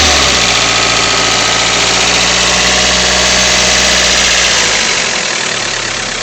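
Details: Freshly rebuilt Toyota 4A-GE 20V, about 500 miles since rebuild on 20W50 break-in oil, no oil use or smoke: quick even light ticking over idle about four per second; owner suspects valves or VVT pulley.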